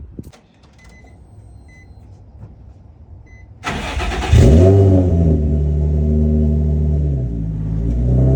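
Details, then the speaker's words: Nissan 350Z on a cold start after new belts, a lightweight Z1 crank pulley and a pulley delete: the starter whirrs, the engine catches and flares, then settles to an even, steady idle with no belt squeal. "everything this running smooth now"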